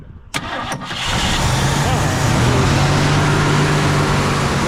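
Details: 1965 Mercury Montclair 390 FE big-block V8, long-sitting, accelerator pump linkage reconnected: brief crank, then catches and settles into a steady low rumbling idle; starts and keeps running.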